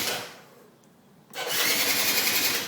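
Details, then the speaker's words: 2004 Yamaha Zuma scooter after sitting outside, with new battery and spark plug, old fuel drained and carburetor partly cleaned: starter whirs in two high, thin spinning bursts, turning better than before but no firing; cranks, won't start. "it's turning better than it was but it's not doing what it should be that's all I'm getting"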